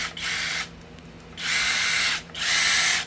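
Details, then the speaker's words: New Flex 24V impact driver (3 speeds plus bolt mode) run unloaded: bursts of high steady motor whir with no hammering, spinning freely then stopping; sounds normal. "That sounds okay."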